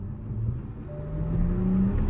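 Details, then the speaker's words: Rebuilt Toyota Supra with torn-down engine and recoding, first drive after repair: deep, clean pull with rising tone as revs climb and turbos whoosh, no stumble, rattle or smoke; healthy engine. "You can hear it on camera. The turbos are like >> they're like whoosh."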